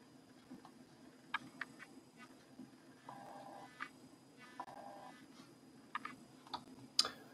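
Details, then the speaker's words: Logitech C920/C922 webcam: faint scattered ticks and brief chirps over near silence as autofocus hunts, the autofocus actuator noise the owner finds annoying. "when the camera gonna try to focus then you're gonna hear that strange sounds here"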